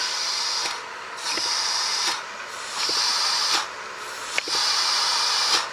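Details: 2000 VW Golf 1.4, heard from inside the car: sharp airy hiss comes and goes about every 1.5 seconds, swelling with each brake pedal stroke; vacuum leaking past worn brake servo seals, servo being replaced.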